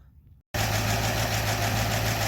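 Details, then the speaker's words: 1936 Buick Century 320ci straight-eight just started after exhaust manifold leak repair (broken ear): it picks up and settles to a smooth, steady idle, quieter than ever, with no puffing or ticking at the manifold. "Well, there we go, boys and girls, and whatever you call yourselves, it's running. And it is quiet, quieter than it's ever been."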